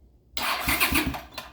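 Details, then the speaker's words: 40-year-old GL500 motorcycle being rebuilt, wiring and controls newly finished, cranked briefly with no oil or gas in it. A short burst of even, rapid cranking pulses for about a second; the starter spins the engine over properly. "so I'm not going to crank it too much but I will show you it does crank over"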